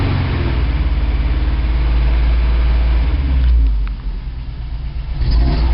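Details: 1987 Toyota 4Runner, high-mileage reman engine, cold start first thing in the morning, clutch in, couple of blips: lumpy, stumbling idle as if only two or three cylinders fire, still misfiring after 3 minutes. Cause: cheap head gasket leaked coolant, cracking the aftermarket head and fouling plugs.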